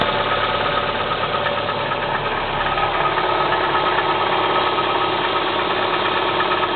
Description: Стук двигателя КИА Спектра 1.6 на холодную